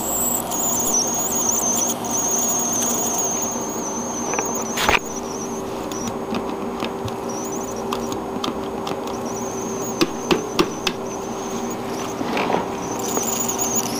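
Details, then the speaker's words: Surround-sound system speaker making an intermittent thin high chirping squeak like a mouse over a faint hum, coming and going irregularly; speaker squeak, cause not found. "it's just it's a funny sound that it makes I don't know it'll go away but it it drives me nuts sometimes so I just put it under the bed or I don't have to hear it it it just sounds like a mouse squeaking in my ear and it just bothers me"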